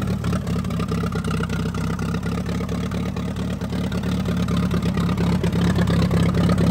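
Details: 1945 Allis-Chalmers WD 4-cylinder gas tractor, sat for years, after clearing a rust-filled fuel line: steady low, even chugging at a fast idle with no misses or knocks, running smoothly.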